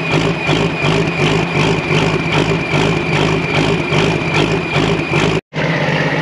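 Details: Large excavator abandoned for years, started on two new batteries: big diesel settles into a steady, even idle with low rumble and faint high whistle; normal running.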